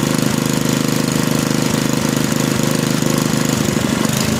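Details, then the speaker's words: Small single-cylinder engine restarted after mechanical governor adjustment that removed slack from the linkage: holds a fast, steady pulse without surging or hunting; governor controlling maximum engine speed again, normal governed speed. "and now when i restart the engine we should see that the governor is able to control the maximum engine speed once again"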